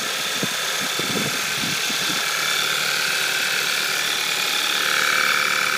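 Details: Cold-start idle on a 02/2012 VW Scirocco 2.0 TSI with DSG at 9,800 km: fast, light ticking about three to four per second; source of the tick not pinned down, owner asks if normal.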